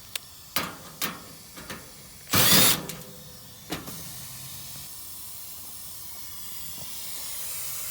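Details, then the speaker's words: Lennox gas package unit on a no-cooling, no-heating call: refrigerant added to the system produces a continuous, building high airy hiss after handling knocks, meaning gas is escaping from a pressurised refrigerant leak that will be easy to find. "so we'll go ahead and get enough in there to work with oh i hear it now put it right down in there so i don't know how hard it'll be to fix but i can tell you it'll be easy to find"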